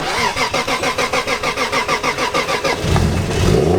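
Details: Drift car on a cold morning, ECU plugged back in after being unplugged overnight against theft: quick, even cranking for about three seconds, then it catches and idles; coolant reads -1°C and it reluctantly idles cold.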